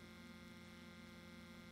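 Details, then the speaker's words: Alphacool Eisbaer 280 AIO CPU cooler pump run outside the PC, held close to mic: quiet even electric hum, no gurgle or rattle, unlike the gurgling Cooler Master MasterLiquid ML240R; pump running normally. "I'll bring it a little closer so you can see it over my microphone and let's listen to this now little hum"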